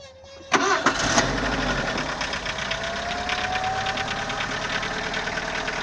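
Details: CHT engine: it catches and settles into an uneven ticking knock, about three per second, over the idle; the source is unknown after valve adjustment, a new timing belt and a bottom-end clearance check.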